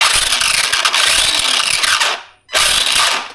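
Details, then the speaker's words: Arrma Gorgon RC truck after a hard nose hit at a skatepark: harsh ratcheting grind bursts under power as the gear teeth skip, traced to loose pinion-to-spur gear mesh and fixed by resetting the mesh. "I could be wrong I'm pretty sure that's not supposed to make that noise so in this video we're going to tear this Gorgon apart figure out why it sounds like it's trying to eat itself"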